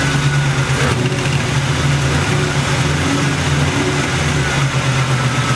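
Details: Internally stock LT1 V8, about 70–80k miles, with Hooker long-tube headers, idling and blipping. A sharp tick rides the exhaust note on the driver's side; it was an exhaust leak at the rear header port, not internal knock, and was fixed by tightening.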